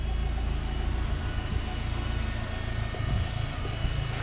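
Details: Rover K-series petrol engine at idle: smooth even low rumble, no misses or knocks, slightly boomy exhaust; normal healthy idle.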